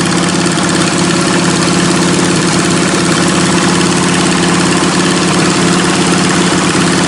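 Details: Lowered MTD race mower with straight-piped 27 hp Briggs & Stratton V-twin: loud, raspy idle with a steady uneven V-twin beat and no knock or misfire; engine runs fine, normal idle.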